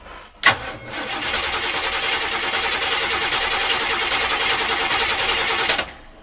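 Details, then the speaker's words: Abandoned Winnebago motorhome cranks but won't start: steady starter cranking about 3.5 turns per second, never fires; fuel line into a bottle moved no fuel, diaphragm fuel pump possibly slow at cranking speed. "All right, so that didn't move any fuel whatsoever. But at cranking speed, sometimes diaphragm pumps are a little slow."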